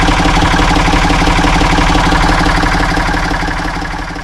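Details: Ford 445 diesel tractor, owner thinks a 1970s model, bought at online auction: steady idle with even low firing pulses about three per second and light clatter on top; starts and runs good, healthy.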